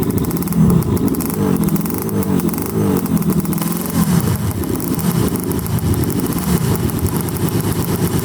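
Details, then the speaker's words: Yamaha Banshee two-stroke quad, dirty air filter and likely dirty carbs, revved hard: uneven stumbling beat with loose clatter, noise seeming to come from the left side crank or cylinder; misfire, owner suspects a blown left crank seal. "i don't know if you guys heard that noise it sounded like it came from either the crank or the cylinder and it specifically sounded like the left side"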